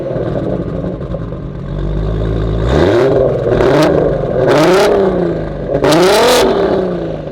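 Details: Turbo 3.2 VR6 swapped RS3, recorded from the back of the car on a night drive after an oil cooler upgrade, with oil temps 15–20° cooler. Revs sweep up and fall cleanly with a deep, raspy exhaust and no misses. The engine sounds healthy.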